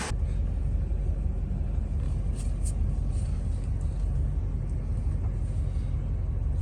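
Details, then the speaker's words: 2000 Ford F250 5.4 2V V8 after idle air control valve and throttle body cleaning, run 30–40 minutes on a cold day: steady low rumble at idle, even with no stumbles, hunting or misfires; healthy idle. "let's go for a test drive this thing running it's running great"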